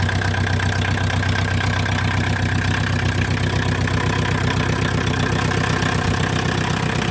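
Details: Freshly installed VW Mk2 Golf 1.6 diesel idling cold without choke, with a steady hard clatter and extra hiss; it is noisy because an intake tube is missing.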